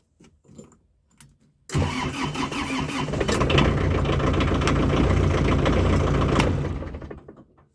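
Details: Kubota L4200 diesel tractor after a new ignition switch during repairs; quiet clicks, then the engine catches immediately into a steady, even diesel clatter before shutting off, normal start.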